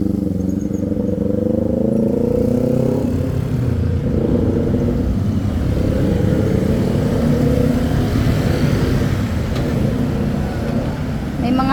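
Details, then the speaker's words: Kawasaki Z400 after a backfire fix, having popped under hard running before; pulls cleanly through the gears under hard riding with smooth rising and falling engine notes and no pops or bangs on overrun; normal running, backfire gone. "Ayun narinig niyo wala na wala na nga siyang backfire"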